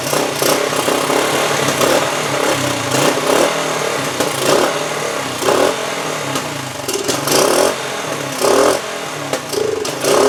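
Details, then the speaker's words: 1974 Honda TL125 after carburetor cleaning, before points, timing and ignition work: uneven idle rising and sagging with sharp irregular pops from exhaust and carburetor; unsteady idle with popping, cause not confirmed. "I could not get a good steady idle there was some popping coming from the exhaust and through the carburetor"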